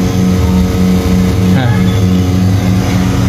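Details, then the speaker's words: Desktop PC CPU cooling fan makes a loud, steady low hum with a faint pulse about three times a second; owner suspects the fan is poorly seated or not pressed down firmly, fix requires removing it first. "Yah ada suara yang mendengung yang diakibatkan karena the kipas ya itu biasanya pastinya kurang menekan dengan fasih warna jadi muncul suara seperti ini"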